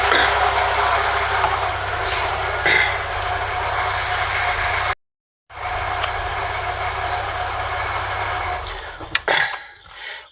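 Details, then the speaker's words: Car engine running with steady rough whirring roar from the alternator, then shut off; alternator charges normally but is noisy and getting very hot, possibly a worn bearing. "Bom galera, é o seguinte, eu acredito que vocês conseguiram ouvir na imagem um barulho muito estranho no alternador galera. Lembrando que eu falei, não citei lá no vídeo, que não tá tipo, ele tá carregando normal, mas só que está com esse barulho estranho e tá esquentando muito galera."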